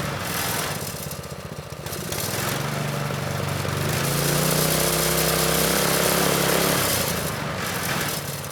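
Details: Manco Streaker vintage mini bike with Predator 212 (6.5 hp), drive disconnected, idle being raised: picks up from low idle to steady high speed and settles back, smooth firing; normal running.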